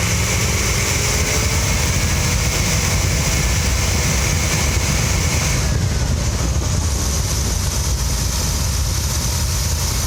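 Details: Mopar 340 V8, carbureted: deep idle with slightly uneven lumpy pulse and hiss; rough, rich idle thought to be the carb was ignition, distributor cap and rotor replaced, now better but not perfect.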